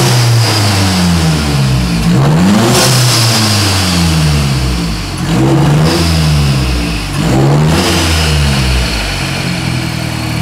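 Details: 2008 Mazdaspeed 3 fully built (bored .020 over, CP pistons, Pauter rods, new crank, Precision 5857 turbo, Corksport turbo-back exhaust) at first start-up; strong clean revs rise and fall over steady idle, no knocks, ticks or misses; normal free revving.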